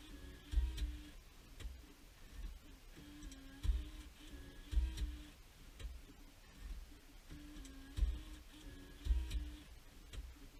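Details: 2006 Jeep Liberty after BCM replacement with the battery reconnected and the key on. The stock CD changer behind the dash makes quiet clicks every second or so with short motor whirs between them. This is its normal start-up cycle.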